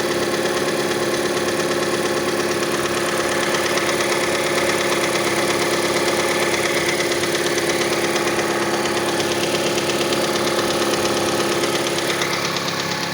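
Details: Mazda CX-5 engine at cold idle: fairly regular tapping around two per second throughout, present until about 70 degrees; cause unknown, variable valve timing mechanism suspected, not confirmed.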